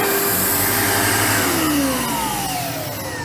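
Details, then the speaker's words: 1997 Sebo X1 vacuum fired up on first look after pickup, with worn filters and a missing rubber strip; the motor runs with a strong, even whine winding down smoothly, no rattle or grinding. Normal running. "I was about to go on about and be our default ease but it seems to work"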